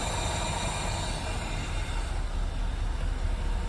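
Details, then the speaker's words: Engine just started after new fuel distributor fitted, fuel now reaching it; low, uneven loping idle rumble, runs on its own but rough, mixture not yet set up; high-pressure pump leaking for rear shocks noted. "Yeah, we'll have to set it up. It's obviously not running. You know, it could be better."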